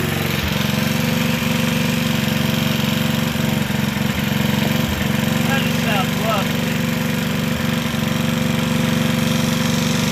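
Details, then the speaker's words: Gilson rear tine tiller, recoil cleaned after dirt made it grab and squeal, governor-controlled with homemade throttle, leaks and uses a little oil: busy, even putter at steady speed, no misses or surging; runs smoothly. "So leaks a little oil, uses a little bit, but it just runs great when it does."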